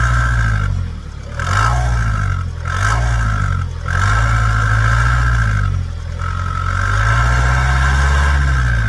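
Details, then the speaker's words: Vauxhall Vivaro / Opel 2.0 turbo diesel van with power loss when towing, turbo failure suspected, intercooler and exhaust swapped: idle with uneven metallic clatter over low thrum, dipping every couple of seconds; rattle of unknown origin. "somebody tell me what that is cuz that ain't right why is it rattling like that"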